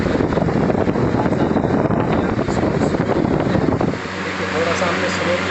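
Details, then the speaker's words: Air cooler that had stopped mid-run (air fan motor dead while the water pump still ran), tested after the regulator knob was refitted: a steady rush of air, then a quieter, even hum as it is turned down to slow speed; the fan runs normally. "देखिए आवाज़ कम हो गई और ये स्लो हो गया।"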